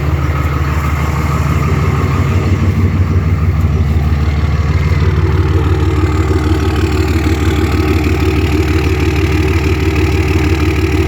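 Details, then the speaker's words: Diesel truck at 251,000 miles with a worn throwout bearing: deep, steady idle with loud exhaust drone and even beat, no knocks or misses; normal idle. "And it does have a worn throwout bearing as well, but idle's good and everything. I'll let you guys hear that exhaust."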